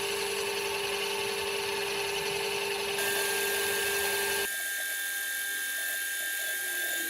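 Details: Metal lathe turning a 6-inch aluminium pulley for a Gingery milling machine: steady high ringing cutting tones with a rough, shaky undertone; vibration through the lathe setup during the cut.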